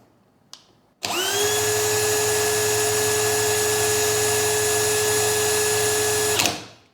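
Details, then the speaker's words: DeWALT DCD999N cordless brushless hammer drill at no load in speed 2, measured about 1480 rpm: a smooth, steady high whine at constant pitch that spins up and winds down cleanly. Normal no-load run. "1480 dan di speed 1 nya ya di 498-500 mantap untuk rpm nya"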